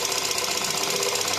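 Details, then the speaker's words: Volkswagen Caddy 1.2 TSI petrol engine, suspected of infrequent oil changes, knocking hard from cold: fast, even metallic ticking at idle from hydraulic lifters that quiets within a couple of minutes as they fill with oil. "Ну сейчас посмотрим, прокачается ещё или нет. Зок был хуже."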